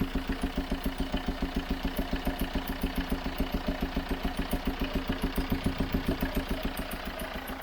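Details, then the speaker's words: Chevrolet Tracker diesel, warm idle: sharp, regular puffing about three to four times a second; diagnosed as a blown head gasket, believed to have joined two cylinders, blowing heavily. "junta de cabeçote queimado deve ter unido os dois os dois cilindros né é porque tá soprando bastante"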